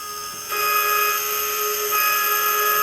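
Switches on to a loud, steady, high-pitched whine and rattling buzz that holds at one pitch; the old fan motor is worn out.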